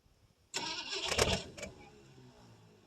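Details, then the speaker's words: 1968 Ford LTD 390 FE V8 with a 2-barrel carb, off the road since 1999, on a cold start: it cranks a few uneven turns on a fresh battery with gas poured down the carb but never catches. The accelerator pump may not work. "It does crank over, so we'll put some gas down the carburetor and see what happens with her."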